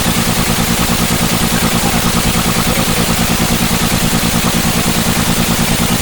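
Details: BS6 engine at idle, loud with a regular lumpy pulse of roughly two beats a second, a steady stumble; engine misfire.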